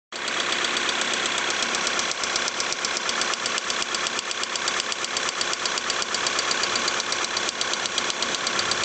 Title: Polo 6R 1.6 TDI engine problem - strange sound